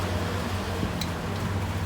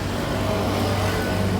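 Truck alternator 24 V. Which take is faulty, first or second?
second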